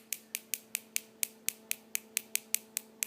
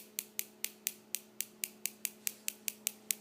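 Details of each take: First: Homemade high-voltage box with bug-zapper driver, upgraded transistor, flyback and spark gap, arcing about half to three-quarter inch; sharp snaps about four per second over faint hum but arc stops intermittently, builder still debugging the circuitry. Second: Homemade high-voltage box in an old DVD player case with bug-zapper driver circuit, upgraded transistor, flyback transformer and spark gap; fan running, sharp crackling snaps about four per second, steady spark gap firing.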